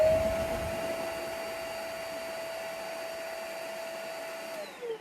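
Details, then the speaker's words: Vacuum cleaner that made a muffled sound with poor suction, after cleaning the filters and refitting the hose: a clean, steady motor whine holding one pitch, then winding down smoothly at switch-off, with no strained or muffled note; the fix solved it. "excellente man all right and uh we're good to go that solved the problem folks"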